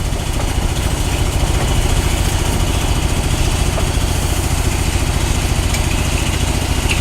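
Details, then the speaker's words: GMC truck, warm but running cool, after carburetor accelerator-pump work: loud, lumpy uneven idle thumping about 3.5 beats a second; exhaust leak ruled out, owner suspects distributor not advancing, won't rev under load; points, condenser, cap next. "Sound funny? Sound the same as it did? Yeah. Sounds like an exhaust leak. Yeah, it's not an exhaust leak. I don't know what the hell. I think my distributor is not advancing, for sure."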